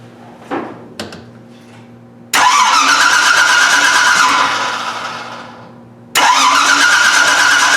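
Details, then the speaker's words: AMC with a new gear-reduction mini starter, about 4:1 reduction, distributor unplugged so no ignition; high-pitched whirring whine over two cranking bursts, normal geared mini starter sound. "but there's a gear that's why it's making that noise there's like a 4 to one gear reduction"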